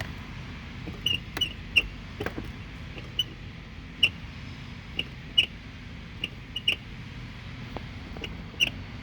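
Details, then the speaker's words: Toyota (2021 Highlander, 5,000 miles) door gives short, sharp uneven squeaky pops when opening and closing; door check mounting bolts loose so it rubs metal, fixed by tightening both with a 10mm socket. "Basically what it's doing is pushing back on this, rubbing on the metal part of it. So you gotta do is take a 10mm socket and just tighten these two up, and that should go away."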